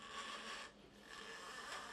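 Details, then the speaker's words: Porsche 986 Boxster front lower control arm held in a vise: dry, rasping creak in two slow strokes as the arm is rocked. The inner bushing spins loose instead of flexing, causing a wah-wah noise while driving that grows louder when hot. "So when this is attached to the car, and therefore the frame of the car, this creaking sound just resonates up through the car. The car basically just acts like a big speaker, so you hear this very, very loudly."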